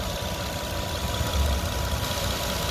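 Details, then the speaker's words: Petrol car at warm idle after the fix, fuel pressure now about 50–51 psi, matching the manufacturer's spec, after earlier low pressure. Low, even idle with a steady rumble, no stumbling or shaking as before. "entonces vamos a aprender el auto y ya no se escucha como antes vamos a ver hay un frente nuevo se escucha muy que dicho ahora ya no está temblando como antes"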